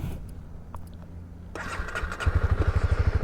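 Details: Honda CB300R motorcycle that earlier wouldn't start on a long trip, the owner first suspecting the battery, now fixed: quiet background, then the engine catches and settles into an even, steady idle with no misses or knocks. A normal start.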